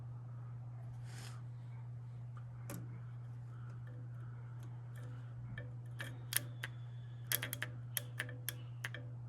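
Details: 1926 Ford Model T Roadster, starter solenoid cleaned after earlier not responding, power applied at starter positive side: steady electrical hum then sharp separate clicks, solenoid now pulling in.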